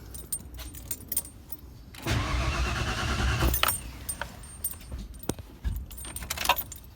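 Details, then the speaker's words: 1992 Ford F150 after installing a new Spectra fuel pump, pump switched on, quarter tank of gas: starter spins the engine evenly for about a second and a half but it never catches; no fuel reaching the rail. "Uh but I checked the fuel rail and it's not getting any fuel. So, keeping our fingers crossed that this was just that we didn't have enough gas in the fuel tank."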